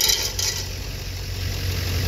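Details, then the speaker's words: Nissan, sitting about a week, at start: sharp high belt chirp over idle that cuts out after half a second, leaving plain idle; belt squeal, something likely seized. "Yeah, once I heard that noise, I heard the belt quit squeaking. I'm like, yep, something seized up."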